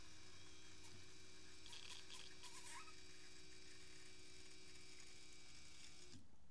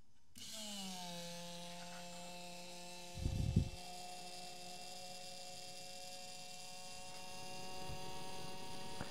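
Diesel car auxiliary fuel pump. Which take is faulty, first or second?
second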